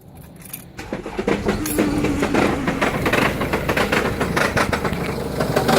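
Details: 2011 Mercedes E200 W212 at idle, heard from inside the car: erratic, tinny metallic rattle, loudest in Park or Neutral and more audible under the bonnet. It mostly subsides in gear and smooths around 1500 rpm in Park; cause unknown.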